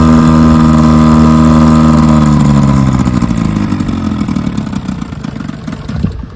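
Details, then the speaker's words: 1957 Johnson 5.5 HP two-stroke outboard in a test barrel: steady buzz sags and fades as it dies within seconds; no cooling water coming out, suspected not pumping water. "Okay, well, I put Jerry's motor in the tank, in the barrel with my tank, and it ran and then died. Sounds like it just wasn't pumping, and it's not pumping water."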